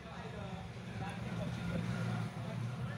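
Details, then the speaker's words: Old submersible water pump from an air cooler's base, tested on the bench through a series connection: only a low dull hum and slight vibration, no water lift, unlike a new pump; the motor is powered but the impeller is seized. "देखिए दोस्तों बिल्कुल sound नहीं है और motor मतलब कि यह पानी नहीं उठा रही है केवल इसमें से थोड़ा सा वाइब्रेशन टाइप का आवाज आ रहा है"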